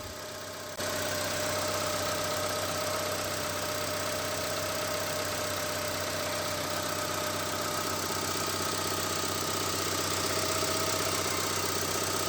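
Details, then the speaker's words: Honda Stream at idle, not yet revved: even, settled low rumble with no knock or tap. Normal idle; the rough knocking complaint appears only once rpm rises. "ini suara mesin dalam keadaan langsam ya jadi belum kita gas seperti ini suara mesinnya terdengar normal-normal saja tidak ada keanehan sama sekali ya"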